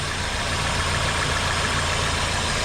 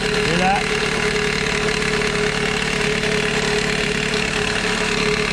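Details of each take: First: Toyota Corolla petrol engine idling steadily in drive with AC on for extra load, no rattle or ticking from the belt area after replacing the worn serpentine belt tensioner that caused the rattle; normal idle. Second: Idling four-cylinder 2001 Toyota Corolla, parked in drive with e-brake on, with loud chattering rattle from worn serpentine belt tensioner; rattle quiets when hand pressed on tensioner; fixed by replacing tensioner.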